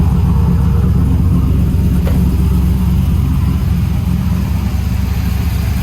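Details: Trailblazer SS with long tube headers and full 3-inch exhaust: deep, loud V8 rumble with a steady, even idle pulse and revs, no knocks or misses; still runs and sounds good, not yet driven.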